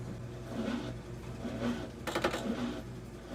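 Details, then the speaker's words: Brand-new Comfee 0.9 cu.ft portable washing machine (CLV09N1AMG) on rinse cycle; quiet hum then sudden short rattling buzz, abnormal running noise of unclear cause, after which it stops and asks for water. "this is our rinse it's going well it's going well and [Music] it's gonna start making a noise"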